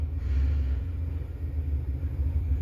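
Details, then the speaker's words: 1970 Chevrolet Impala with a 400 small-block V8, abandoned, first start after sitting: deep, steady rumble at idle with an even beat, no knocks or ticks, no oil pressure light; normal idle. "Sounds like it's runs pretty good. No oil pressure light, so everything looks good there."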